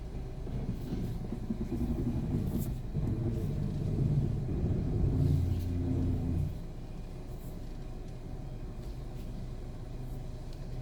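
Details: VW Passat with a large EVAP leak and a parking brake warning light: an unidentified low rumbling drone from the right side grows louder with a wavering hum for several seconds, then settles to a quieter rumble.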